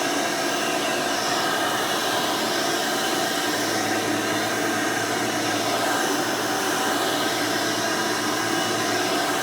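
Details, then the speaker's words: 1992 Hoover Elite II Total System Performance 430 (U4617-910) upright vacuum: steady, even high-pitched rush at constant pitch with no rattle or scraping; motor runs exceptionally smooth and fairly quiet, normal running. "runs exceptionally smooth runs very nice and quiet almost sounds like the original 5 amp motor i wanted but definitely performs much better than that 5 amp would have"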